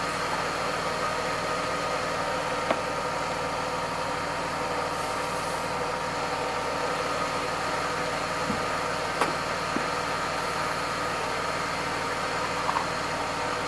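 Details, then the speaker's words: Mercedes-Benz W124 E320 (M104 inline-six) at idle, around 700-800 rpm, after an oil, transmission oil and filter service and belt dressing: a quiet, smooth, even hum with no belt chirp. The engine sounds smooth and healthy. "Hai suara mesin menjadi halus"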